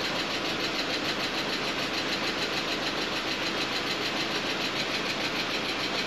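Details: Audi A4 driven over a mile with no oil after a quarter-size hole in the oil pan, pan patched, refilled, first start: steady, even idle, smooth hum, no knocking or rattle; engine sounds healthy.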